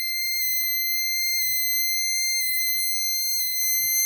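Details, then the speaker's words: Explosimeter (gas detector) tested with a non-flammable gas cylinder held at its sensor cells: a piercing high alarm pulses about once a second after reaching the 15% threshold, with vibration alongside. "Donc là, on a vu qu'arrivé à 15%, en fait, il s'allumait. Je ne sais pas si vous entendez la vibration."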